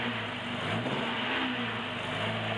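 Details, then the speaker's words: 1976 Alfa Romeo Spider, twin carburettors, cold start in cold garage, choke on full with slight throttle lock; note rising and falling with throttle blips, then picking up cleanly as it begins running on all four cylinders; normal cold running on choke. "And now I've got the throttle lock out a bit. Yeah. Choke is still on full. Giving it just a touch of throttle. There we go. Now we're running on 4 cylinders."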